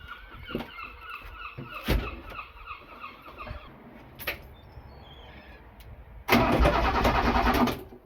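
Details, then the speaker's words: Abandoned Eagle SS with Ford Cologne V6 unrun for decades, bores oiled with ATF, plugs refitted, cranking on the key: uneven chugs about three to four beats a second with compression pulses; turns freely, not seized, doesn't start. "Yes! Well, this is awesome. She turns over. But turning over is a long way from starting."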